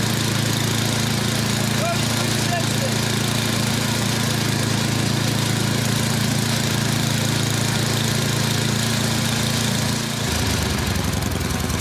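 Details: Yard Machines 24-inch snowblower, Tecumseh 8 hp engine, previously hard starting: small engine running at a steady, even speed with no misses, hunting or surging; clean, healthy running.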